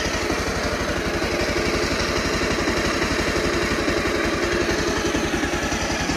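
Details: Bajaj Pulsar 150 motorcycle after timing chain replacement, silencer refitted, idling smoothly with a steady, even exhaust beat and no ticking or rattling; previously had timing chain noise and white smoke, now sounds perfectly smooth.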